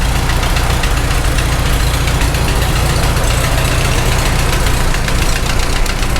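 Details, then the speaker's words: Farmall H tractor, first start after engine rebuild, rough idle with fast uneven top-end tick, likely a rocker/valve; noise lessens when one suspect rocker is held down with a screwdriver, pinpointing that one. "I think it kind of made it go away a little bit it does I think that's the one hit hit this one again noise goes away when you hold that"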